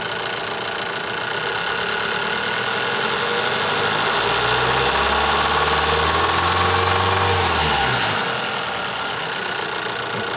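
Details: Toyota Gaia 3S 2.0 petrol engine, oil level neglected: normal at idle, then throttle blips bring a deep rhythmic knock from the lower block; connecting rod knock.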